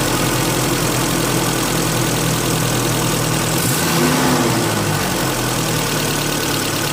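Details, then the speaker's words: Car with rough running after MAF sensor cleaning, now after throttle body cleaning with degreaser: blips once and settles to a smooth, even idle with quiet turbine-like air hum, no knocks or misses. "having done that work the engine does have sort of described as a turbine type of sound and that's the sound of the air coming in and the and throughout the engine and out the exhaust"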